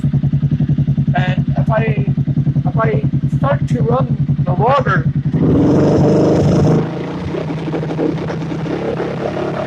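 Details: Small engine popping along at about three beats a second, the rhythm stumbling and uneven before it steadies: a misfire. The owner has checked the VR sensor and changed everything but cannot find the cause.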